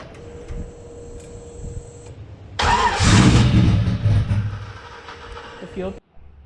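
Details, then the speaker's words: Custom car with newly fitted rear radiator and wideband, fresh spark plugs: starter cranks about two seconds without catching; crank no-start, startup tuning or PCM communication suspected. "bad day today car won't start again change the plugs and nothing"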